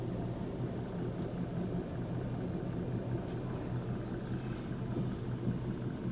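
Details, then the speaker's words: Ford Transit Connect on jacks, in drive with front wheels spinning: low steady droning rumble from a worn front wheel bearing. "now the wheel will start spinning okay basically we'll be both the tires are spinning right now but now we're gonna hear the noise okay we won't try to find the noise"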